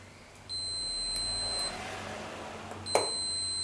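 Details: Hoover/Candy tumble dryer not heating, front thermostat tested on multimeter continuity: clean steady high beep as probes touch, thermostat closed and fine.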